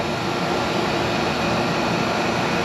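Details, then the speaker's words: In-wall AC that would not run, now running after the worn-out capacitor was replaced. A steady, even whoosh of fan and compressor with no clicking, buzzing or cycling; normal running. "Sounds like it's running. Yeah. Yep, that's all I need to do."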